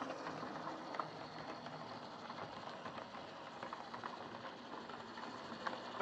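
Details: Old Lima Class 31 model locomotive in freight livery, overhauled, with extra pickup on front bogie, running round the layout: soft steady whir with faint regular rail clicks, no stutter or speed dips, no pickup issues; normal running.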